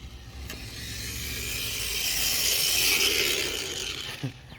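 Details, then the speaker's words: H1 Hurtle RC car fitted with a cheap brushless motor/ESC combo replacing burned-out stock electronics, driving fast: high gritty whine swelling with speed, rough and grinding; stock plastic gears straining under the extra power. "you can hear that. You can hear that plastic gear. You can hear those plastic gears are not happy."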